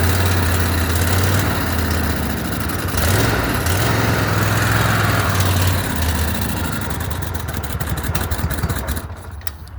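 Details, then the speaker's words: Cub Cadet Super LT 1550 riding mower that stopped running: it catches and runs at an uneven, hunting idle that surges and sags, starving for fuel. Fuel pump or carburetor suspected, most likely the carburetor. "we know she's running, but she's starving for fuel. Okay. So, it's either the fuel pump that's bad or the carburetor."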